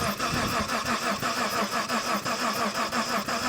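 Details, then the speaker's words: 1990 Mitsubishi Montero Gen 1, six-cylinder manual, no coolant: starter turns engine in steady pulses about three a second but never catches; no spark from ignition coil, coil to be replaced. "nothing all right cool so I'm not getting any kind of spark from this coil um in any capacity"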